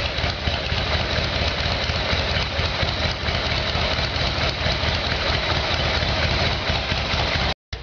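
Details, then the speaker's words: Evolution Sportster carb-problem fix, cold start on choke after carburetor work; V-twin settles into a steady, even lumpy idle with no popping or misses, sounds a lot better; engine running properly on warm-up idle. "you okay what sounds a lot better okay"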